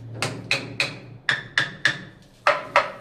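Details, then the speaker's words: Bathroom wall tile tapped by hand: nine sharp knocks about three a second, each ringing hollow. There is no bedding material behind the tile, unlike properly filled areas, and it needs rectifying. "दूसरी चीज, जब आप इसको बजाते हैं, ये देखो यहाँ पे पोलापन है, साउंड से ही अलग मालूम पड़ जाएगा आपको कि यहाँ पर कुछ मटेरियल नहीं है,"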